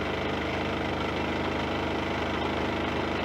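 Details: Champion 2000 W inverter generator idling steadily just after pull-cord (recoil starter rope) replacement, fuel valve on and vent open: soft, even thrum with no misses or knocks; normal idle.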